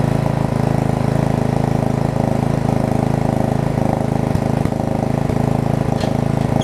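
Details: Murray RER riding mower after new blade, new drive belt, steering alignment and blade brake adjustment; expected to smoke on startup. Steady, even small-engine drone with a regular firing beat and no wobble or rattle; normal running.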